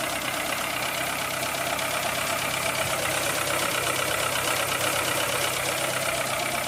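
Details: 2003 Citroën C3 petrol engine bought four months ago, not overheating or using oil: quick light even ticking over a steady idle; cause not confirmed.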